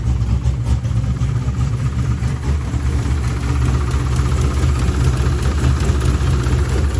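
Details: C5 Corvette V8 after block weld repair where starter broke the block and engine reinstall: deep even rumble at steady idle, no misses, knocks or surging; runs smoothly.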